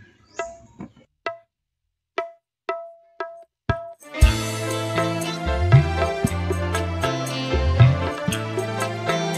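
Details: Polytron PAS 68 active speaker that shut itself off after about 15 minutes once hot, after repair: clean music with crisp drums and steady full bass, no crackle, buzz or hoarseness; earlier raspy midrange now gone, normal playback.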